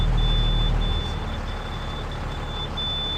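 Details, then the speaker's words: International 4400 with a computer-controlled DT466 that would not start due to a melted ECM power fuse holder, now fitted with a 40 A fuse. Injectors buzz, then it starts into an even, steady diesel idle with a faint beep. Normal diesel idle. "Here we go. She runs."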